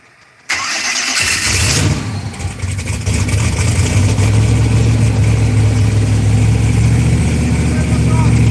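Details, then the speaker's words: Cadillac CTS-V first start on new engine: cranks, catches and settles into lumpy, slightly uneven idle; owner wonders if it's a vacuum. "I wonder if it's a vacuum. What's up, dude? So what you think, man? Kind of making it run a little different, maybe."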